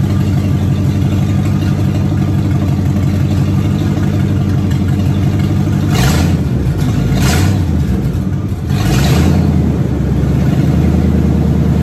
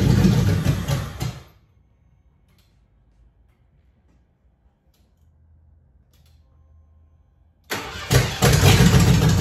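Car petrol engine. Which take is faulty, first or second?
second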